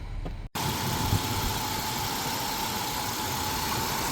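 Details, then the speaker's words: 1998 Ford Explorer that sat five years, after fixing a 2,000 rpm high idle: smooth, even idle with steady hum and no hunting or surging; a screech on revving remains uninvestigated. "Idle is now fixed. You can hear it, it's running really smooth now."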